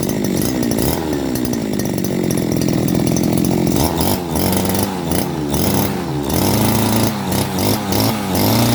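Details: Type 411 two-stroke grass trimmer that was hard to start and surged, after a carb clean and a replaced reed valve: steady buzzing between blips with no stumbling or surging, a clean, stable idle.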